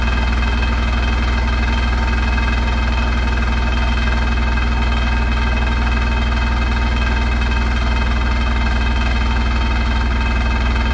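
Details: Hotpoint NSWR843C washing machine on final fast 1200rpm spin: loud steady deep roar with constant rattling and shaking; something loose or worn, cause unclear; rattling really loud.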